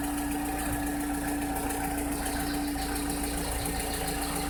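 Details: 2006–2007 VW SpaceFox engine at idle: a steady mid-pitch tone over loose, irregular ticking; strange engine noise whose source is unidentified.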